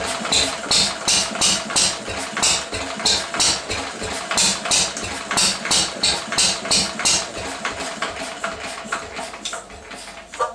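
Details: 1937 Lister D single-cylinder rated 2 hp, first run after many years unstarted, makes lumpy beats at about three a second with cracking pops and irregular gaps. It is running badly and backfiring; the owner suspects timing, unconfirmed.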